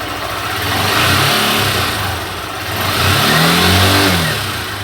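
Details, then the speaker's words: Honda Fan 160 2021 motorcycle: two smooth throttle blips rise and fall cleanly with no knock, rattle or miss; engine revving sounds normal. "Então vamos dar uma acelerada para ver como é que tá barulho Tá certinho ao normal né"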